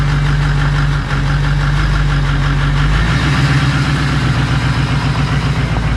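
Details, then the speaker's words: 2005 Ford 6.0 diesel single cab, cylinder 8 contribution fault: uneven loping idle with irregular stumble worsening partway; noise from crankcase side, rings suspected broken or stuck after years sitting, low-compression misfire. "re going to throw all that back together but it definitely sounds like it's coming from the crank case side of things um which is you know what we expected and pretty certain the Rings are toast"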